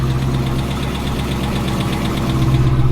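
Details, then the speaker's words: Driftcat car engine warming up before a planned cam, lifter, pushrod and valve spring swap. A sharp, steady light tick about four times a second at idle points to a suspected valvetrain problem, not confirmed. "not good. Not good at all."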